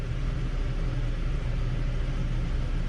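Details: 2018 Hyundai Elantra with stalling and top-end rattle on downhills, first startup after repair: steady even rumble at raised idle around 1300-1500 rpm, oil pressure about 84 psi, no knocks or rattles; normal fast idle.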